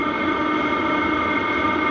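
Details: Hcalory 8KW diesel heater newly installed at an off-grid cabin, running just before switch-off: steady, even hum with a constant whirring fan note, no surging or knocking. It sounds healthy.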